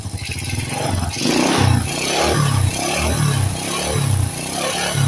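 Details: Supra-style motorcycle with non-Honda "Turbo" engine, after no-cost fix for white exhaust smoke: repeated throttle blips rising and falling cleanly and crisply, no rattle or misfire; smoke now nearly gone, revving normal.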